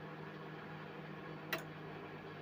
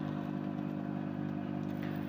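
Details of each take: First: Mirta MW-2501W microwave in for repair, not heating: after clearing debris that jammed the fan, fan spins and the loud hum is gone; quiet steady whir, normal operation. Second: Mirta MW-2501W microwave running with a steady low mains transformer hum but not heating; hum and light rule out door microswitches and timer, magnetron suspected, not confirmed.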